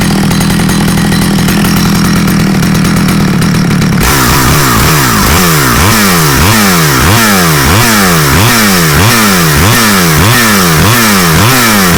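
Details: Stihl 009L chainsaw bought used and said to need fuel lines, on its first outdoor start test: a loud two-stroke buzz revving up and down in quick, regular bursts, pulling cleanly each time, so the saw runs strong.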